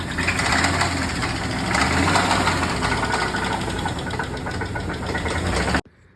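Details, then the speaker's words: Jeep Cherokee 5.7 Hemi V8 idling with a deep, steady knock underneath; rod knock from a worn connecting rod bearing, with minimal scoring on the rod and crankshaft found at teardown. "what's going on guys what's going on with this Jeep with this knocking noise"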